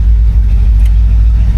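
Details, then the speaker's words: 1964 Chevrolet Impala SS convertible V8 just after a cold start, fired right up: deep, even burble with steady low rumble, no knocks or misses; healthy cold idle. "Let's go ahead and get her started. That is a cold start as well. She fired right up. We'll give her a minute, let some of this gas flow through."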